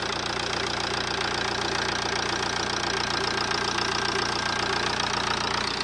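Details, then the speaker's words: 2011 Ford Transit Connect 1.8 TDCi diesel, second-hand replacement engine at 87,000 miles, just started after injector seals were replaced over a suspected air problem. Steady, even idle clatter with no misses. Runs smoothly with no leaks. "But as you can see, it's running quite smoothly. Seems to be alright. Doesn't seem to be any leaks."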